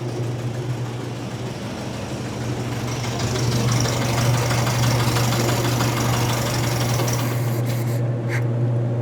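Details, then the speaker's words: 1961 VW Beetle air-cooled flat-four, first test fire after rewiring, coil not yet mounted, vacuum routing unknown: steady, even low chuff with a strong fan hum and no knocks or misses. It runs smoothly at idle. "I don't know what in the vacuum line routing we have. But it does run."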